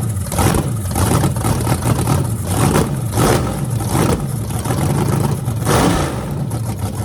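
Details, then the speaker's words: Freshly rebuilt small block Chevy 350 (355) for an OBS Chevy truck, on an engine run stand with open headers: deep lumpy idle with three crisp rev blips that return smoothly. Normal, healthy running. "sounds mean as can be so I'm just excited to uh be able to let you guys hear it"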